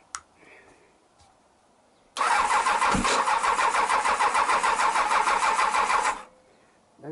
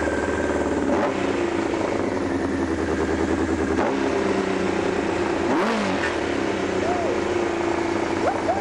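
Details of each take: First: Honda CBR1000F, engine previously running on three cylinders, fuel pump rusty and beyond repair: starter spins engine at a steady even churn for about four seconds with no firing, no petrol reaching it. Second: Honda CBR1000F that had been running on only three cylinders: after the fix it idles evenly and picks up cleanly on light blips, no misses or knocks, running smooth on all four until it starts running out of fuel.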